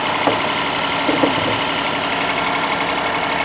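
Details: Vehicle with a possibly recently replaced motor mount: a steady, fast idle held well above normal; owner suspects something was left disconnected. High idle.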